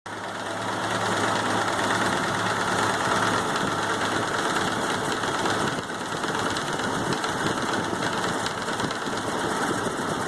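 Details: Model A Ford engine idling with a dull knock tapping a few times a second beneath the running.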